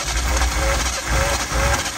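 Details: Turbo car with faulty anti-theft wiring removed and fuel pump wired directly to positive after inertia switch checked; engine cranks with uneven low pulses and occasional coughs, trying to fire, sputtering misfire.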